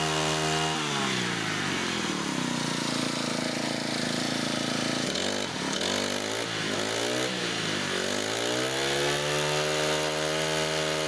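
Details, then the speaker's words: Brand-new, just-unboxed Honda GX25 brush cutter, first idled then revved: high revs hold steady, then dip and hunt unevenly for a few seconds before recovering; intermittent surging, cause unclear. "ฟังเสียงเวลาผมเร่งเครื่องดูดีๆนะครับทุกท่านเครื่องยนต์นะครับจะมีอาการวูบเป็นบางครั้งนะครับ"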